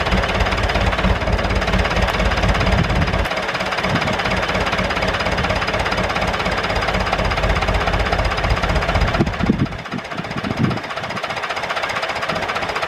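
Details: David Brown 996 diesel tractor, left sitting about 10 years, just started: steady, lumpy chugging at about two beats a second that holds even, then drops quieter near the end; normal idle.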